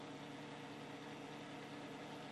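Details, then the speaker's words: 1970s Hoover Knapp-Monarch automatic fin electric heater: steady, even motor hum with low buzzing and airy rush; the fan is still pretty loud even on low. "so a is still pretty loud for the fan at"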